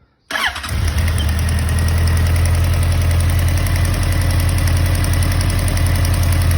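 Starts cleanly and settles into a steady idle with a light, quick tick riding over the beat; the cause is unknown, top-end tick suspected.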